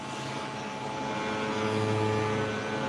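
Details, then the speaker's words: Coffee roaster's hopper vibrator while loading about 300 g of green coffee: a steady even buzzing hum with a low drone and constant pitch, no knocks or surges; operating normally. "okay you can hear the vibration that is actually to vibrate the"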